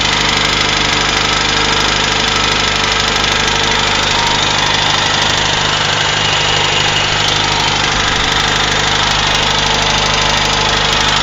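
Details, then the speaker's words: UZAM 1.5 petrol engine after rebuild, knock appeared around 1,200-1,400 km despite valve adjustment, slight choke, fast idle 1500 rpm: light, fairly regular tapping over the engine; source unknown, chain rubbing tensioner noted but owner doubts it. "Вот он. Как будто где-то что-то висит и что-то стучит. По тахометру 1500."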